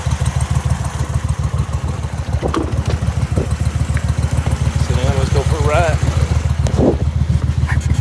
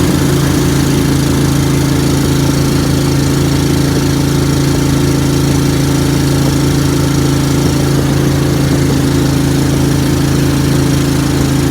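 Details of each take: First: Briggs & Stratton Vanguard V-twin dual-carb mud boat motor (Mud Buddy), freshly rebuilt after flat cam, half turn more fuel on cylinder two, AFR high twelves: lumpy even fast idle, no misses; running much better, still rich on the needle. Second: Briggs & Stratton Vanguard V-twin dual-carb Mud Buddy boat motor, freshly rebuilt after flat cam, ride on water: steady low drone with uneven throb, audible pulsing off the carbs and a little stumble coming out; running rich, needs tuning.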